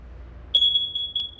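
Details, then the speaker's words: USI plug-in carbon monoxide and natural gas sensor with battery back-up, sounded on demand: piercing high alarm tone, four loud beeps, a pause, four more beeps, a pause, the carbon monoxide alarm pattern. "and that is your carbon monoxide alarm so you are going to hear four loud beats a pause four more loud beeps and a pause"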